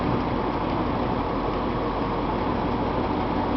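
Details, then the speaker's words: 1978 International Loadstar 1600 with points distributor: a slightly rough, stumbling idle. Uneven distributor cam lobes give uneven coil charging and a very short spark burn time; a points adjustment is planned. "we're not getting a very good spark burn time on the spark we got very short coil burn here"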